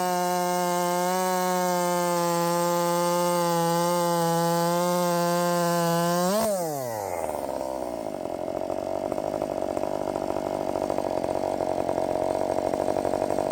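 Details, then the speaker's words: Redmax 5000 chainsaw with 16-in bar, .325 steel RS chain, 8-pin sprocket, after wide-open exhaust port muffler mod: screaming steady two-stroke note flat out in the cut, dropping as chain runs free; strong, clean, owner thinks it feels blazing fast. "uh I'm not 100% sure of course I I mean I've been bitten by this before but damn it this thing feels fast now I mean blazing fast uh yes I think we did it I think I think we did it that thing is just hauling ass"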